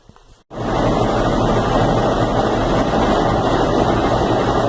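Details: Consul Facilite 10 kg washing machine: steady heavy roaring whoosh with low rumble through the spin cycle, described as a helicopter-like noise. The source is not yet identified.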